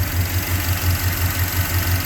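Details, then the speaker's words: 1989 Jeep Grand Wagoneer with a freshly rebuilt AMC 360 V8 and Holley 2300 EFI fuel injection; smooth, even, quiet low idle with a steady pulse and no knocks, ticks or misses. Normal idle. "And this engine's very quiet."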